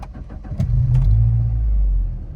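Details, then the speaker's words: 1991 SAAB 900 T16 Carlsson turbo, restored 2013, fully warm after a drive: brief cranking, fires promptly, settles to smooth steady idle, ABS light goes out; normal warm start. "Starts nicely, and the ABS light goes out again as it should. We've just been out for a run, so it's all nicely warmed up."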